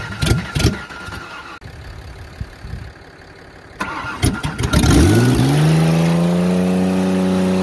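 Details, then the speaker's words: 1994 Ford Ranger 3.0 L V6, no transmission, run to destruction with nitrous and water in the intake: several cranking bursts, then it fires and revs with a steady hard beat about four per second, metal-on-metal rod knock. "well that sounded metal on metal but we better be sure i'd hate to not be sure"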